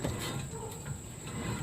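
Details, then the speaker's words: 2004 Mercedes C320 4Matic, about 170–180k miles, front hub spun by hand with rotor off: low uneven rumble with faint coarse churn; suspected worn front wheel bearing, to be replaced. "that sounds like it's in this bearing we'll take that off there real quick"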